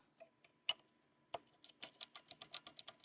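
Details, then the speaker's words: Vehicle with the engine running and the steering wheel turned: scattered clicks, then rapid ticks about nine a second as the relay is constantly triggered. The ground comes from the clock spring; the root cause is still unconfirmed. "Yeah, my relay is constantly being controlled here. I don't know if you guys can hear that."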